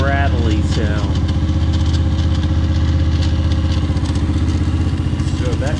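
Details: Kayo MR150 single-cylinder after manual cam chain tensioner install, electric starter removed and plugged: steady lope with a light metallic clatter each beat; tensioner didn't fix the crankcase rattle, owner suspects the starter clutch.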